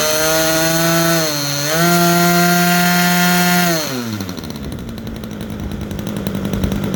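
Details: Super Tigre 90 glow engine in a Super Chipmunk RC plane, just primed and started with the needle two clicks richer than its stored setting: a buzzy, slightly burbly, uneven note before dropping off, running a touch rich.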